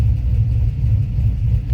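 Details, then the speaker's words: Deep idle rumble with a wet, bubbling flutter from the exhaust; leak found at a newly installed muffler joint, likely from overtightening. "Sounds like bubbling, but it's coming from the exhaust. Let me check it out."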